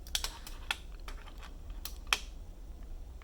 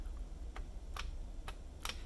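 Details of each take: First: Keyboard spacebar (magnetically stabilized, on numpad) makes sharp clacks with a small extra click on one side, where the stabilizer clip was cut too short and sits too high, unlike the other side. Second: Magnetically-stabilized DIY spacebar on a numpad: four clean single clicks over low room hum, with no rattle or buzz unlike a regular Cherry stabilizer, though the key sometimes sticks down.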